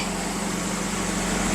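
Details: 1998 Nissan Frontier 2.4 after fuel filter replacement, key cycled three times to prime, then started: steady, even idle with a smooth low hum and no misses, knocks or hiccups; healthy.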